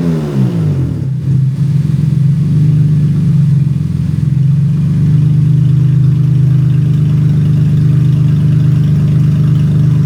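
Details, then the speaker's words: 2014 Honda Odyssey with newly installed aftermarket (non-OEM) catalytic converters and nothing downstream: after the start flare, a loud deep booming drone at steady idle with exhaust open straight after the converters, no pipe or muffler. "Open headers. So, so I got to do it. I'm going to start it up and see what it sounds like."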